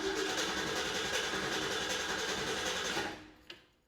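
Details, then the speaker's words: Engine cranked for about five to six seconds with the ignition coil deliberately unplugged and a spark tester on the plug wire: the starter turns it at a steady beat of about three and a half per second, never catching; no spark. "you can see there was no spark there because we don't have any electricity go into our spark plug"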